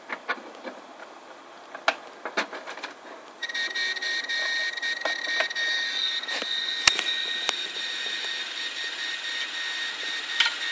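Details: Several failed hard drives, including a 2.5-inch disk that screeches: sharp irregular clicks over a faint whir, then a high steady whine — hard drive clicking.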